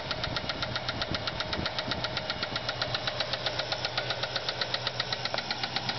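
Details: Ford Fairlane V8 at idle: sharp, steady ticking nearly four a second; lifter tick from a bad lifter on a flattened cam lobe, with no oil to the heads and a spun camshaft bearing.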